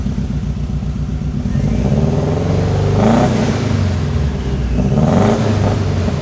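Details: Subaru WRX STI engine swap: uneven, lumpy idle with stumbling beats through two throttle blips, shooting flames. Misfire from a bad injector being diagnosed.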